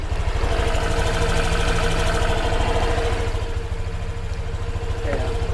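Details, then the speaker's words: New Honda Vario 125 scooter, 0 km, before delivery, idling: even, steady low putter about three pulses a second, no ticks or rattles; CVT and engine sound normal. "Kita dengerin suaranya nih kalau dari CVT nya ya segini normal teman-teman kita cek suara mesinnya juga nih"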